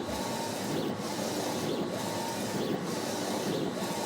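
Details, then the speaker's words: Ricoma REVEL DTF-2402 DTF printer printing a colour and offset test file (CMYK plus white underbase): steady whirring hiss with a carriage sweep about every second. Normal printing. "it's print ready you'll hear a little bit of the system gone so this is printing my my file and again what this allows me to do is to verify my colors"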